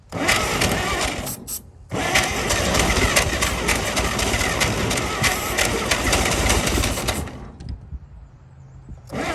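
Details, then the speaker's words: 1937 Chevy truck six, abandoned about 45 years, loud busy chugging on ether/starting fluid that cuts, picks back up, then dies; carburetor froze up from running on ether that long, but it's a runner. "woo she runs the carburetor froze up from running her off the old ether that long but she's a runner"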